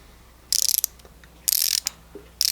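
Three quick runs of crisp, fine, evenly spaced clicks as the handle swings; normal pawl action from a fine-tooth ratchet.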